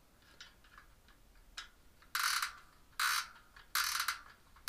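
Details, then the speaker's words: Bicycle spoke nipple unscrewed with a screwdriver while transferring spokes to a new rim; short gritty rasping bursts, about four in five seconds, because the threads are poorly lubricated; dry spoke nipple thread grinding. "and I'm gonna unscrew it and you can hear a bit growing that's because this isn't very well lubricated"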